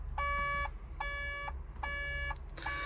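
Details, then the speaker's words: 140 LCR construction machine idling on site: diesel rumble with steady half-second warning beeps repeating about every 0.8 s. The warning is 'catalyst tank level low', a low AdBlue/DEF level, with the engine management light on. "It doesn't just want a splash of AdBlue, does it? Oh, I hope not. Oh, it is, look. Catalyst tank level low, catalyst tank level low, catalyst tank level low."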